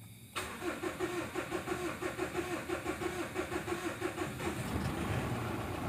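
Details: Mitsubishi Strada Triton GLS common-rail diesel, previously would not start without petrol, after repair: short crank then catches right away into an even diesel idle clatter; normal start.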